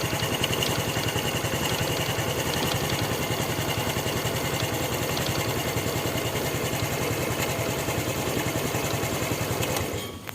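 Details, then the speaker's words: Honda Revo Fit FI motorcycle idles unevenly, stumbling; hard to kick-start, only starts with wide throttle; compression feels very light, suspected leak, after shop sprayed cleaner into intake while revving. "ini juga gitu ini kalau saya rasakan kompresinya benar-benar enteng kompresi kayak kompresi bocor"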